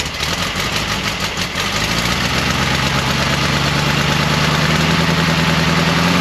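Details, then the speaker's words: 1968 VW camper bus air-cooled engine, first run after sitting over 10 years, fresh 20W-50 oil: idle with tinny rapid rattle as revs creep up; suspected loose tin work or generator, a missing bolt, unconfirmed. "i was making some sort of noise what is that noise it almost sounds like some of the tin work it's either the generator we didn't get something right or maybe it's this this tin work right here"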